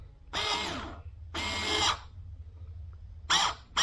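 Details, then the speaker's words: Replacement actuator motor for a 2004 Mustang Mach 1 turbo exhaust cutout, bench-tested on a DPDT switch, polarity reversed to close it: short, even, high-pitched whirring bursts starting and stopping cleanly; motor runs freely, healthy. "you can burn the motor out by trying to continually run it when it's open because the motor can't actually turn because it'll be locked in place so we're gonna reverse the polarity"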